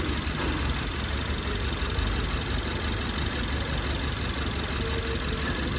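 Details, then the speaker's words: Ford Taurus 2018 turbo, strong shaking, code P0301: rough lumpy idle, uneven low thump with no steady beat; cylinder 1 misfiring. "الزبون يشتكي من تفتفه بالسياره قويه كثير ف نشغل السياره ويكم التفتفه اللي فيها يمكن واضح الصوت"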